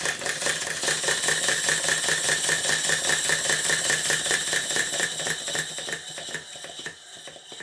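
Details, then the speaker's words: Southworth duplex boiler feed pump running on air, not steam, oil in the water cylinders: quick lopsided clattering beats about 2.5 per second with hissing leaks. Glands blowing and valve timing out. "rhythmically this engine is not right it's just not evenly balanced to alter the valve timing I will need to release the four locking nuts"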